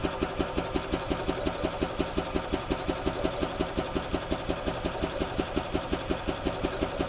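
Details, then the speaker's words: 2008 Yamaha Drive gas golf cart in neutral, airbox off, cranked to test the fuel pump flow into a container before the fuel system flush: steady even cranking, about three chuffs a second, no grinding or skipping; normal cranking. "I want to run the pump and make sure this is pumping right now put it in neutral and just crank the engine"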